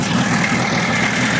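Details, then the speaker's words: VW stroker engine after points reset from 0.002 to 0.018 in and distributor locked down, compression 180 psi, Nology ignition; instant start into a steady, even idle with smooth rumble and no stumble or misfire; normal idle. "So, it should fire up right now. Let's see. Turn it on. And that's the way to start."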